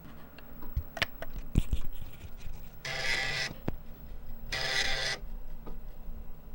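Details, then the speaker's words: Amiga 1000, 35+ years old, internal floppy drive booting Workbench after Kickstart loaded: scattered head clicks and ticks, then two harsh buzzing grinds about 1.5 s apart; read-write error, owner suspects drive rails need lubricating. "So after trying to boot Workbench off my floppy, I've got a read-write error."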